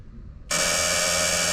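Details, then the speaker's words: 1987 Ford L8000 turbo diesel truck parked 16 years in a hedgerow, at key-on before cranking: a steady, harsh electric buzz that holds without a break. This is the low air pressure warning buzzer. "Okay, that's good. So, that's your air buzzer."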